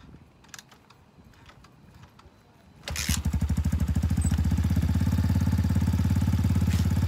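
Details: X-Pro Titan 250cc single-cylinder dirt bike, first start after sitting all winter, cold: quiet, then fires and settles into a steady, even low thump around three and a half beats a second; healthy warm-up idle.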